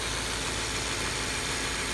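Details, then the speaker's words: 2015 Subaru Impreza 2.0 Limited, under-hood phone recording at idle: steady, even idle with light, fast ticking the phone exaggerates versus in person; injector chatter, normal idle. "here my phone does pick up small engine noises so you will hear uh more ticking than you would in person"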